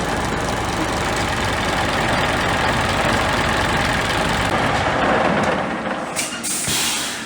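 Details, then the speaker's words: Scania G410 (2021) truck, 13-litre OC13 methane engine, up to ~500,000 km, idling after rebuild for overheating from running without antifreeze (cracked heads, melted piston, failed liner seals): steady, quiet, even idle with air hiss; healthy. "Слушай, она так тихо работает? Тихо так работает? Это ж бензиновая."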